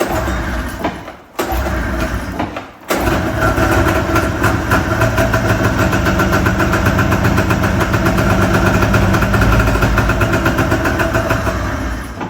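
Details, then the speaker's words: Tornado snowmobile two-stroke after new top end and honed cylinder, run in garage: picks up after stumbles, runs rough with uneven knocking under throttle, like something impacting; cause unknown. "Okay. When I give it throttle, it makes a weird, like, something's impacting something."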